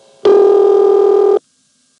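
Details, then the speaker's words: Cabot, Vermont (Continental Telephone) exchange, early-1970s recording of the original tone plant ringback: steady buzzy tone near 400 cycles for about a second then stops; normal, differing from 1975 ringing. "The original Cabot tone plant rang like this. Which is not at all how it rang in 1975."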